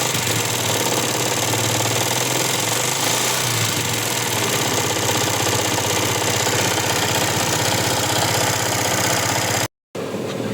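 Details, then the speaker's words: Yamaha Jupiter MX 150, failed water pump seal let coolant mix with oil for a long time, on starter: harsh, busy, uneven knocking from both cylinder head and crankcase; worn top and bottom end, connecting rod likely damaged. "Nah seperti itu ya, jadi suaranya itu ramai banget. Di bagian blockhead juga ada suara, di bagian bawah juga ada ya."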